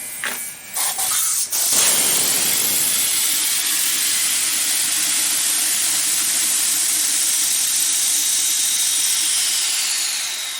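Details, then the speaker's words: 5 hp air compressor with a loosened fitting at low tank pressure: steady, loud, high-pitched hiss of cold, fog-laden air bleeding back from the tank without a break; leaking check valve, misdiagnosed by the customer as a bad pressure switch. "now that we're deaf you can't usually see air coming out but i can see air coming out you saw the moisture in the air"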